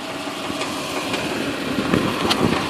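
Uneven V8 idle with a few sharp knocks standing out every half second or so; a knocking noise whose source isn't clear.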